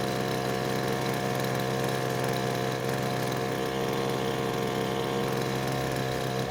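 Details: Poulan Pro blower that stopped running mid-use, after H (high-speed) carburetor screw adjustment: steady, even high-rev drone at full throttle with no surging or dropouts. Holds full throttle cleanly; a loose bolt was later suspected as the cause.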